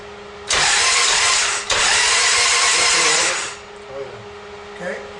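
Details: Buell Cyclone V-twin in an 8/10-scale Cobra cart, first start after sitting 11 years with rewired harness, via the yellow start button: loud, rough three-second burst of cranking that catches and then dies back.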